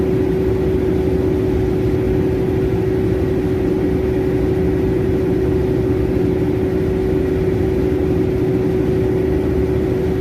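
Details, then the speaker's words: Generator running with a constant high alarm tone over the engine drone, alarming for high coolant temperature (overheating); cause not yet found. "oh o pressure colan temperature sobrang init overheat"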